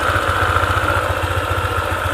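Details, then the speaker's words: Honda ADV 150 scooter (about 2020), CVT area: fast, even clicking riding on the idle firing beat, appears at idle and disappears when throttle is applied; worn CVT bearing. "Sekarang, perlahan-lahan mulai mengeluarkan suara. Klik, klik. Nah, itu dia suaranya, ada bunyi klik."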